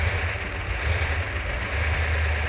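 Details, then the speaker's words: Newly rebuilt 340 V8 in a Cuda, first start in the car on electronic ignition with a ballast resistor: a deep, steady rumble settling into an even idle with no knocks or misses. It sounds as good as it did on the run stand. "better get quieter the engine sounds every bit as good as it did when it was on the engine run stand that's fantastic"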